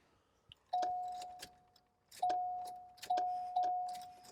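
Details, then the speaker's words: Flood-damaged Cadillac Allante from Hurricane Ian, no-crank: key clicks and a steady warning chime ringing about five times with no cranking; starter suspected, and the brake light switch is known bad. "that's still a no and now it's gonna it's GNA ding man I think it's a starter"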